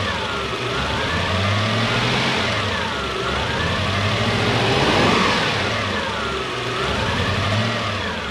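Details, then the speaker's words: Toyota Soarer (Lexus SC400) 1UZ V8 revving: ragged, uneven beat about four stumbles a second; misfire, suspected injector-related, with ECU capacitor under inspection; cause not confirmed. "there it is definitely it's got a missed goodness fire"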